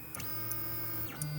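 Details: Brand-new LulzBot TAZ 6 3D printer, second unit straight out of the box: as the Z axis travels, steady motor hum with a faint rubbing tone traced to the Z rod; abnormal Z-axis rod noise, printer being returned.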